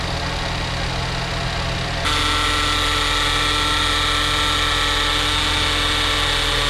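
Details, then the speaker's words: 2014 Ford Escape Titanium AWD EcoBoost, auction car, idling in park with no check-engine light: a thin, high whine over a steady idle that comes and goes. Otherwise it drives fine; source not identified. "It works perfectly fine other than that noise. So I'm not exactly sure what it is, but I'll show you here in a bit once it goes away and then it kind of comes back."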